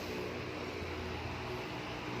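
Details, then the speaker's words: Hatari 18-inch fan after replacing the failed capacitor (before, it spun slowly and weakly with a rough noise): quiet, steady low hum with even airflow hiss, no rattles or drag; runs strong like new, normal. "แรงมากๆเหมือนพัดลมซื้อมาใหม่เลยนะครับตอนเราซื้อใหม่มาใหม่ๆมันก็จะแรงแบบนี้นะครับ"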